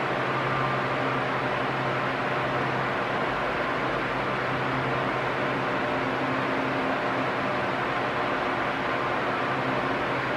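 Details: Arno Silence Force 40 cm fan, nearly two years old, at medium speed: an even, steady whoosh of air with a constant low hum and no rising or falling. A healthy fan.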